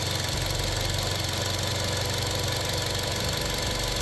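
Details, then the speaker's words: Direct-injection engine with oil sludge: steady idle with light fast tick about three per second; valve ticking, cause uncertain. "I mean, that's a typical engine noise, I guess. But it's supposed to acquire the valves because it's a direct injection."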